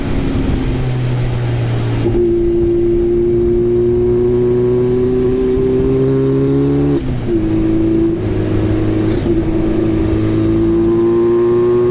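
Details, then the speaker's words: Turbocharged Goblin race car under full throttle on track at Black Hawk Farms, never ran right since the turbo swap: note climbs but stumbles and breaks up around the shift, shooting fire and black smoke; running rough. "As you can see, it's shooting fire, bunch of black smoke, just not running great."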